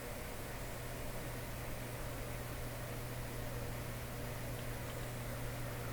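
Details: Admiral J104X/J105X console amplifier powered up through a dim-bulb tester during hum troubleshooting: a constant low buzz of steady pitch and level under faint hiss; mains hum.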